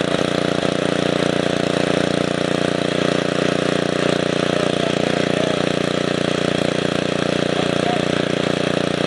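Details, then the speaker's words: Briggs & Stratton 6.5 engine for a Springer bike, governor still fitted, now running at an even constant idle with no rev rise and fall; it had surged with governor linkage hunting earlier, owner unsure why, maybe it was just cold. "Anyway, I didn't do it that time, so I don't know. Maybe it was just cold."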